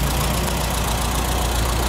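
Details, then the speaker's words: 1975 VW Shorty bus with an air-cooled engine, restarted after sitting neglected for over 20 years, running with a steady, even low idle and a smooth pulsing beat, no knocks or misses; normal idle. "We weren't really sure how long this old girl's been sitting, but we finally got her up and running. She seems to be purring like a kitten."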